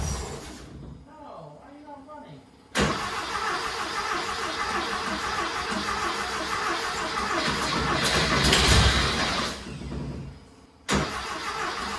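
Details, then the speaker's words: Turbo carbureted Porsche 930 rat rod that sat outside for months, first start on new carb after two hours tuning: catches, runs unevenly, sags and won't hold idle; fuel pump turned up fully, owner suspects fuel starvation and needs a better pump. "i got it where it's starting it's just not idling very much i think we need a better fuel pump i got my fuel pump turned up as much as it'll go it's still just it's acts like it's starving for gas"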